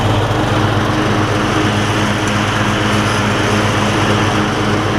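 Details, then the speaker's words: Weed Eater rider converted to Craftsman lawn tractor, new 38-inch deck blades fitted: small engine hums steadily at constant speed, even drone, no knocks or rattles; sounds better, normal running. "This sounds a little bit better, doesn't it?"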